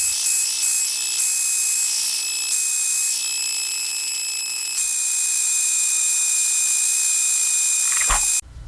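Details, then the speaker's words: Xbox power supply on a passive load, recorded pitched down one octave: piercing, steady high whine with stacked tones that shift in steps. The noise isn't only related to load current; resonance or subharmonic oscillation is suspected. "I think I do have some idea of what's going on. This noise isn't only related to the load current."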